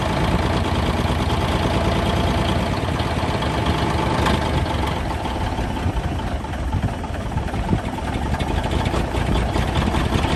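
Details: 1971 Peterbilt 352 diesel, sat for a few days, cold start with a little ether: deep rumble catches and holds an even idle; runs fine.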